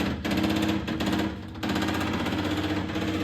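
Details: MGB GT under restoration, first fuel fill, ignition key on: rapid uneven ticking repeating, never settling into steady hum; pump heard sucking, vibration felt in line, fuel delivery uncertain.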